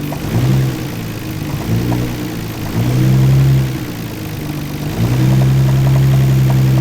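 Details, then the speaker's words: Nissan R32 GTR engine, warmed up, deep knocking in time with the engine through several blips, heavier as revs rise; rod knock, not extremely bad. "that is what you call a rod knock so um it's not extremely bad but it is a rod knock"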